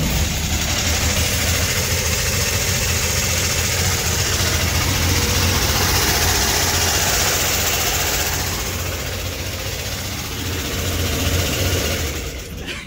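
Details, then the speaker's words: 1964 Chevrolet Corvair flat-six after cylinder head reinstall: very loud raspy idle with hissing, like a lawnmower, unchanged after tightening exhaust pipe-to-manifold bolts; owner suspects an exhaust leak. "I really don't think that made a difference. I don't know why it's so loud now."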